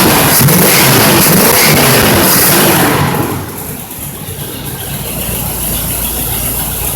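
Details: Rebuilt Pontiac 455 in a 1976 Trans Am, third startup after setting base timing, loud non-clutch fan: strong rev then smooth even idle, no clicking, ticking or knocking; normal running.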